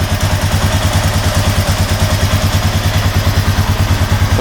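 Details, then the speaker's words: 2007 Honda Rubicon 500 ATV warming up after an oil change with 4 quarts added: steady, even single-cylinder idle thumping with no knocks or rattles; engine sounds really good. "Engine sounds really good."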